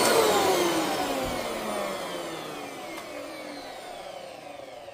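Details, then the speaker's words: Eureka Altima vacuum motor, after cleaning and oiling the bearings, whines and falls smoothly in pitch as it coasts down, no scraping or rattle; less strained than before cleaning, bearings acceptable for now but will eventually need replacing. "Yeah, eventually she's going to need some bearing replacements, but it doesn't sound like it's trying to rip itself apart. And it sounds like it's not as strained as it was before we took it apart and cleaned it out."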